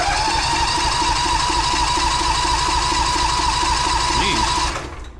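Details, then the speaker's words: John Deere tractor, cold start at 11° after sitting since last fall, old battery running down; starter whines steadily, churning about three times a second without catching; owner suspects flooding, doesn't like starting cold. "she might not want to go now might be flooded battery's going to be caking out on us here soon too I might have to take the battery out oh man and it's not cold out it's 11° right now but this thing does not like to start cold at all so that's not good"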